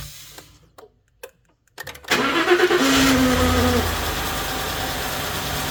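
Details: Ford F-150 5.0 on cold start: starter cranks and catches, then a steady mid-pitched whine sits over the fast cold idle for about a second; cause unclear.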